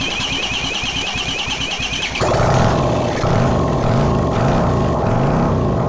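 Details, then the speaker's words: Honda CX500 engine on a test bench with no exhaust or cooling, after swapping the crossed coil leads: uneven pulsing, then the twin catches and runs steadily, throttle blips rising and falling cleanly; normal running. "So that was a ticket switching around the coils and uh now she starts up like a dream."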